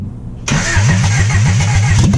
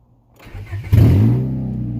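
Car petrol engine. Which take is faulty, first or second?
first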